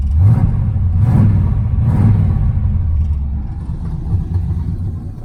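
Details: 1981 Chevrolet Camaro Z28 V8, carburetted, after fixing electric fuel pump mounted at rear near tank, filter now full: picks up cleanly through three quick throttle blips, then steady low rumble; carburetor and distributor still need tweaking.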